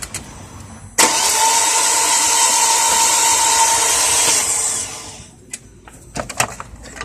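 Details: 2003 Volkswagen Passat 1.8T: the starter spins the engine in a steady whir for about 3.5 s and it never catches; owner reports no compression on test and only weak spark, cause unconfirmed.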